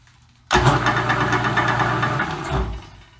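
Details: Roughly century-old Dominion Auto-Drive lathe gearbox after oil change, lathe partially disassembled, run gently before high speed: short burst of smooth, even gear whir spinning up and coasting down, no knock or grinding; gearbox healthy.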